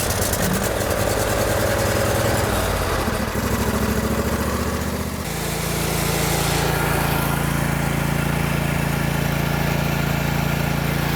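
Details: John Deere L120 lawn tractor, Briggs V-twin, sat about a year, after the fix: steady, even V-twin beat with a low, smooth drone and no stumbling; runs normally and should improve with use.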